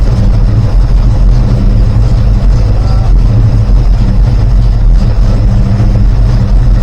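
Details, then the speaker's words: Rebuilt 360 V8, not yet warmed up: timing cut from 30° at 1,000 rpm to just under 10°, rpm lowered; loud lumpy idle with uneven thumps and exhaust bangs, suspected unburned fuel, cause unknown. "I'm going to take the RPM down and take the timing down as it's warming up a little bit back just under 10 you can still hear it banging away a little bit"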